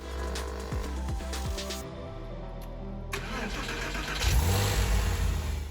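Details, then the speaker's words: Porsche 911 with a freshly rebuilt engine that had a rough idle, after vacuum leaks found by smoke test were taped over: brief crank, then a steady, even idle with no stumble or hunting. Normal start and idle after the fix. "And immediately it ran beautifully. Wow. So that's it. It works lovely."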